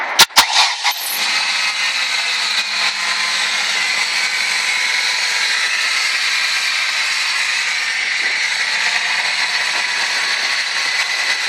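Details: 1998 Ford ZX2: a steady, piercing high-pitched whine of even pitch over the engine hum. The engine-driven whine's source is still undiagnosed.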